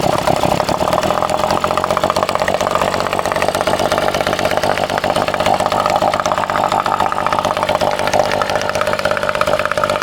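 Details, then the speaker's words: Vintage two-stroke outboard, bought cheap and unknown history, running after restart: steady high, crisp buzz holding speed evenly; it pumps water and runs cleanly and healthy. "So that thing pumps water. It's running."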